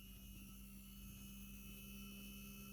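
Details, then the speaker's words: Small DC motor in a variable-resistor demo, fed from an almost 12 V source, crawls very slowly as resistance rises and voltage drops to about 0.7 V; a faint steady low hum with no speed-up, not enough to drive it. "the the the motor is turning very very slowly if i were to continue now we have we are left with 0.7 volts"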